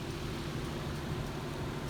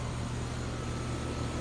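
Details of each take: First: Comfortmaker outdoor AC unit, no cooling: outdoor fan runs and indoor fine, but compressor only buzzes trying to start and never starts; failed run capacitor (45/5) replaced. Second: Comfortmaker outdoor AC unit after a failed capacitor was replaced on a no-cooling call: steady low hum with even fan whoosh, no rattles or cycling; running normally.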